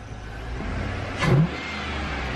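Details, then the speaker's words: 2003 Chevrolet Tahoe just after installing a cheap Amazon cold air intake, no check engine lights: a single quick throttle blip rises and falls cleanly over a steady idle with more audible intake air at the throttle body; normal revving. "i can hear the throttle body it's definitely sucking more air"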